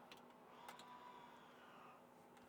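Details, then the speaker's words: Electric parking brake on a 2007-2013 BMW X5 E70 after replacement of the parking brake assembly, car on a lift, key on, lever pulled: faint short motor whir rising then settling over about a second as it applies normally; no brake warning. "ah I heard it actuate also a positive"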